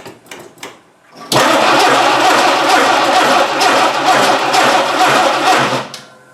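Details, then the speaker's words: 1960 Dodge Dart Seneca with newly installed engine, after over ten years in storage: catches after a couple of tries and runs rough and uneven, stumbling about three times a second before dying; suspected old gas. "uh doesn't seem to like that old gas i wonder why yeah"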